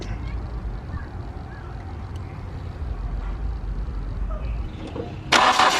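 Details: Mk3 VW Golf after a new fuel pump was fitted, spark confirmed at all plugs and fuel reaching the engine: even, quick cranking at nearly four beats a second that never fires; crank, no start.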